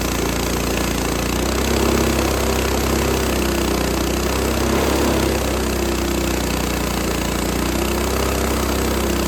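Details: Repaired Lifan 7hp (GX200 clone) sawmill engine on a Frontier OS18, formerly zero compression from a blown head gasket: steady, even drone cutting very dry, hard ash, no bogging or surging; pulling fine, normal under load.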